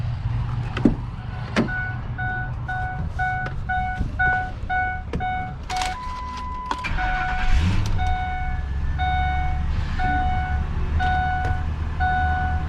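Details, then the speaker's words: 2004 Ford F-250 Lariat at salvage auction, previously at a buy-here-pay-here dealer: door chime beeping, brief crank, starts right up and settles to steady even idle. "warning lights on this one it started right up"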